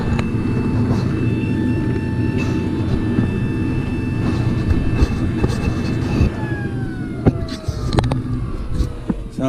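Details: Carrier Infinity furnace in pressure switch fault: steady inducer motor hum and whine, then scattered taps and rattles as debris falls down the flue pipe, which was blocked by birds in it.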